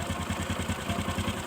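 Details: Honda Supra 125 carburetor single, warm engine, noise comes and goes; quick irregular rattling "kretek" knock over the beat, rough not smooth; owner attributes it to loose flyweight (bandul) bearing, tags suggest damaged piston.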